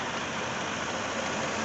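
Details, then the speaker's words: 2002 Toyota 4Runner after new fuel pump and fuel filter installed: steady, even idle with no misses, knocks or surges, smooth hum; runs good, normal idle. "the vehicle is running as you can hear runs good sounds good"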